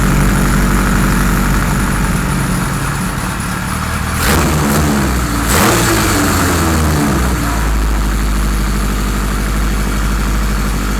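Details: 1978 Kawasaki Z1-R four-cylinder on the stand, first start after carbs installed, idle raised, no enricher: uneven loping idle with a brief blip midway, never settling; carbs 1 and 4 good, 2 and 3 out of sync.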